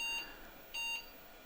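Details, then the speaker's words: Old 386SX-16 PC with leaked battery corrosion on the mainboard, at boot: sharp high-pitched beeps about every three-quarters second, eight in a row, pointing to a fault in the ATI EGA Wonder 800+ video card. "as you can hear there are eight consecutive beeps meaning that there is probably something wrong with the video card"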